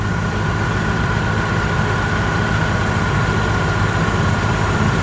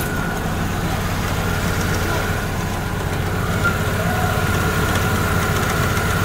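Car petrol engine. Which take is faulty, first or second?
second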